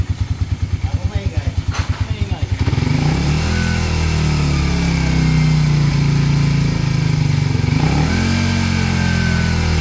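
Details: Engine that suddenly got loud, after the non-original timing chain tensioner was replaced: a few quick putts as it fires, then a smooth, steady rev with no rattle or tick; now quiet, normal revving.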